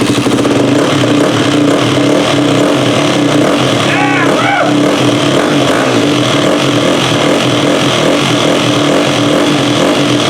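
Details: Yamaha WR426F dirt bike at its fire-up after final assembly; it previously wouldn't go when ridden. Loud, continuous four-stroke running at a steady fast idle with a firm, even beat; the engine fires and keeps running.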